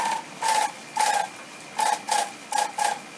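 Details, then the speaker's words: Haier air conditioner, opened and running: repeating short scraping swishes with faint squeak, about two a second, from the styrofoam inner housing rubbing against the fan; fix is wedging it back for clearance and checking the front fan isn't loose. "That's our sound. It's just this inner housing, styrofoam housing, rubbing against that fan."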